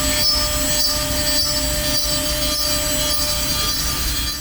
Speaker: This is known as the screaming bit. If your bit sounds like this, it's screaming or whining excessively, it's [music] often a sign of one of three things.